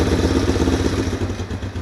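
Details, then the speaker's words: Project motorcycle, twin carburetors, restarted with the choke pumped up: lumpy idle that fluctuates and tends to die, with a light fast metallic valve tick or clatter from the head, source not found; both carburetors are thought to need rebuilding and it won't rev much past 4,000 rpm. "let's fire it back up one more time so you can hear the valve tick"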